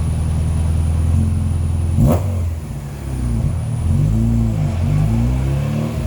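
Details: Skoda Felicia rally car, Polo GTi ARC engine on throttle bodies, rally exhaust, straight-cut gearbox, dyno run recorded from the rear/exhaust: revs climb hard, fall away abruptly and pick up unevenly, flat spot under load; cause unconfirmed.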